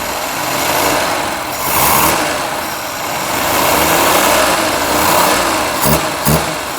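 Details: Ceria carburetor (Kancil setup) after adjustment, engine revved gradually through 1000–1500 rpm and higher: smooth gentle blips, no stumble or hesitation; normal revving, clean throttle response.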